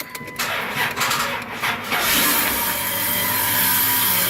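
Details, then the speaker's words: 2001 Dodge Grand Caravan, first start after reinstalling transmission and torque converter: engine starts then a steady, harsh, high-pitched scraping hiss at idle, seemingly from top of engine; owner suspects bad starter, source unconfirmed, not present before. "so I have this noise here and I actually not sure what it is the sounds like is coming from the top of the engine but I'm also thinking that it might be my starter that's bad"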